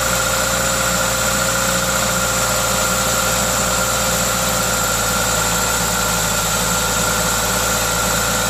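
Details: Toyota 2ZZ-GE engine: steady, even idle with a constant hiss from the aftermarket induction kit over a smooth hum, no ticks or knocks; normal idle.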